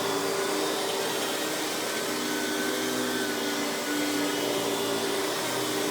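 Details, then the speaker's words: Hoover PowerMax Supreme 850 S3609 1990s canister vacuum, non-original hose, high speed with power brush spinning: steady even motor roar, no rattles, surging or grinding; runs very smooth, not the quietest of canisters; normal running. "So as you can hear, this runs very smooth. Definitely isn't the quietest of canisters, but that's kind of the thing with cheaper canisters of the time."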